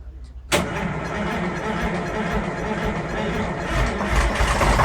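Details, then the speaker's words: Detroit diesel starboard marine engine on a boat, started after sitting idle at least two years, with seawater, fresh water and fuel checked first; it catches sharply and settles to a steady, firm rumble with good oil pressure and water. "Got water. Okay, she sounds good. Sounds Oil good. pressure looks good. Water's good out the back of the room. Sounds like a Corvette."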